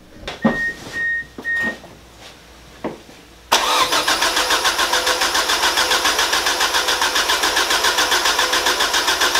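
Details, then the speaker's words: Rebuilt Mazda BP 2.0 after re-rebuild, first crank with ECU unplugged to build oil pressure before first start: a few clicks then even repeating starter chug with no firing, normal cranking; oil pressure confirmed afterwards. "Just gonna crank it over to get some oil flowing."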